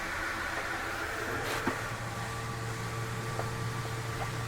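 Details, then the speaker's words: Flagstaff Superlite 29BHS travel trailer, living room slide being brought in: steady low motor drone with a few faint clicks near end of travel; normal noise of the slide resetting itself, does no harm. "I mainly just wanted you to be able to hear that noise. That noise is okay. All it is it's bringing in, resetting your slide. Just setting itself. It doesn't hurt it at all to hear that noise."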